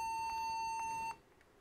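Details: Toshiba laptop stuck rebooting at the logo without booting Windows: one steady, fairly high beep just over a second, then quiet; cause unclear; repeated beeping during boot.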